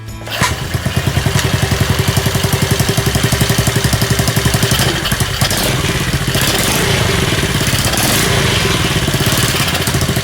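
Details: Friend's Honda CD50 small single-cylinder engine, just rebuilt after an oil leak repair and run on a bench. It catches at once and settles into a quick, even idle with no odd knocks. A cam chain tensioner noise was expected, but there was less odd noise than feared.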